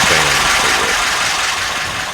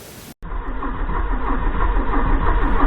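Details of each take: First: 1984 Porsche 944 first start after 20+ years of storage, after fuel pump change and refitting pin 86 in relay plug: short stretch of even idle with steady hum, no knocks or misses; normal idle. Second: 1984 Porsche 944 after 20+ years' storage, after swapping speed sensor: starter cranks evenly about three and a half beats a second but never catches; no fuel pump, no spark — cause DME relay pin pushed out.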